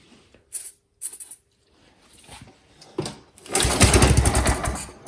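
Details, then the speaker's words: Neglected mower engine, sprayed with easy-start: a few pull-start rasps, then it catches about two seconds with a ragged roar and dies; shows spark timing and valves work, exhaust flows; carburettor cleaning and new fuel line next. "Ooh, that is good enough. That's good enough to mean that we had a spark at the right time. The valves are working. The stuff came out the exhaust. It didn't run backwards or anything, so that's good."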